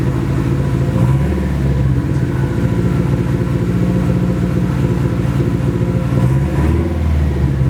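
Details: Nissan SR20 in a 240 on first start after engine install, open downpipe: loud, raw open-pipe idle with a choppy, irregular beat and uneven pulses, missing on a cylinder; engine misfire, cause unconfirmed, owner suspects bad original gas.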